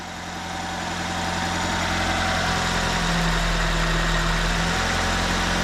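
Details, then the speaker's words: 2004 Nissan Sentra after replacing a bad fuel injector (coil and plugs had not fixed the misfire): even, steady idle with a constant low hum and no stumble or shake; running smoothly on all cylinders. "more misfire our sleuth so the problem we had here was a a bad fuel injector cars running real smooth"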